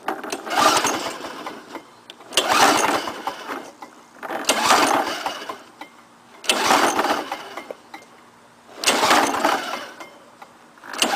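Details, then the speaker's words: Lawn-Boy 5127 mower started for the first time after 10 years sitting in a shed, on choke with a swapped spark plug and gas squirted into the intake; fires in surging bursts about every two seconds, running but still hunting. "all right hey runs man"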